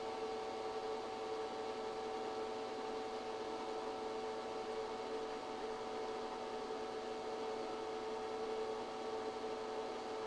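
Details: ChocoVision Revolation 2B 0.68 kg chocolate tempering machine running a Temper 2 cycle with dark chocolate, 88.7° set point: smooth, even mid-pitched motor hum with no knocks or rubbing. Running normally.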